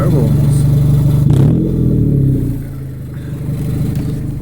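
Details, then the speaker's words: 2000 Honda Civic: rusted resonator (B) pipe broke off below the cat/header unit. Loud, raspy, almost turbo-like roar rising and falling with each rev. Exhaust leak from the broken pipe, before replacement. "so my exhaust my exhaust pipe just came off it rusted out you could hear that"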